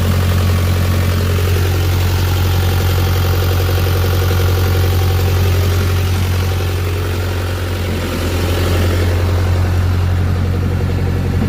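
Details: Carrier X4 small diesel engine after running out of fuel and being primed with the hand pump to bleed air; deep, steady diesel drone with even low throb, no misses or knocks; idling cleanly.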